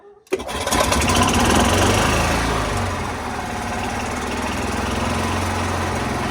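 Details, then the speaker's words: 2013 Club Car golf cart engine after draining 2.5 quarts of water mixed with oil from the crankcase, pumping out the milky oil and refilling oil: catches within a second and settles into a steady, even putter with no knocks or misses. Normal start and idle. "starts real good i better let it shut off for yeah it starts real good"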